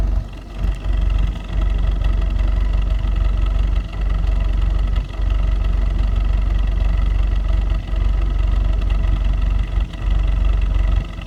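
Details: 2015 VW Jetta 1.8TSI, 14k miles, at idle: lumpy, uneven idle with periodic dips and stumbles every second or two over a steady low drone; suspected intermittent misfire, not confirmed.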